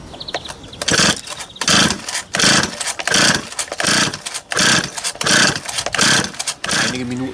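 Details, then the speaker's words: Used Stihl 026 chainsaw, long unused, fresh fuel after parts replaced; repeated quick pull-cord rasps with no firing, won't start on its own; cause not yet confirmed. "ich habe jetzt mehrmals noch stattversuche durchgeführt und trotzdem sprangen die Kettensäge nicht an"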